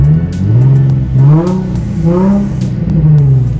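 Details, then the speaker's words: Nissan 350Z V6 after ignition coil replacement for a misfire, cold and just warming up: several throttle blips, revs rise and fall cleanly with no stumble or popping; misfire appears gone. "Sí, parece ser que la falla quedó en el pasado. Así es como se debería de haber escuchado desde un principio."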